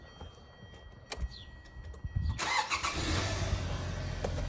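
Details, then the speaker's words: 2012 Hyundai Sonata just after starter replacement (old starter's Bendix disengaged and free-spun): short quick crank with some clatter, then engine catches and settles into steady even run; new starter engages and starts fine. "and just like that she's got a new starter in it let's see if she'll bark to life um boy that thing sounds something fierce"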